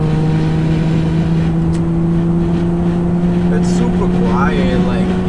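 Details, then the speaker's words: Nissan Maxima with a swapped 75,000-mile engine and transmission, OBX headers and a new Vibrant Performance muffler, warm engine. A steady, smooth low drone with an even note and no rasp or rattle; quieter and with less drone than the old muffler. "now this muffler makes the car sound quieter and i don't have a lot of drone like compared to the other one that we had so it's pretty good"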